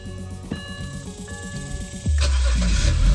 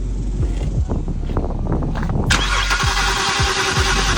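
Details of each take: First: BMW E91 325xi wagon that sat three years, first start after swapping in a new box on the back: dash chimes, brief crank, catches cleanly into strong steady idle; healthy, slight burnt smell likely oil from valve cover work. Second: BMW E91 325xi wagon that sat three years: about three seconds of steady starter whirring, engine never fires; cranks but won't start, no fuel pressure, EKP fuel pump control module suspected faulty, fuse checked good.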